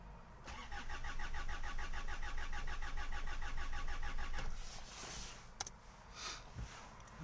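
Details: 2008 Hyundai Santa Fe 2.2 diesel, about 320,000 km, broke down on freeway: even starter cranking about three beats a second for four seconds, never fires; odd crank sensor waveform spikes, tone wheel suspected, not confirmed; crank-no-start.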